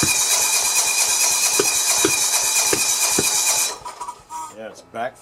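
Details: John Deere 170 with Kawasaki FC420V, after spark restored; flywheel key good, valves checked, head gasket replaced: cranking with sharp pops about every half second backfiring through the carburetor and exhaust, won't start; cause unknown, valves suspected.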